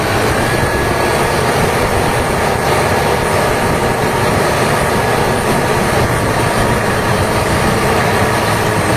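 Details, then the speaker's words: HB365 diesel with EGR-type turbocharger, after repairing turbo that scraped at high idle: steady even diesel drone with smooth turbo hiss, no scraping or chatter; turbo running quiet and healthy. "tes Nih setelah repair ya suara engjinnya bisa didengerin sendiri sudah tidak ada kendala lagi pada turbonya"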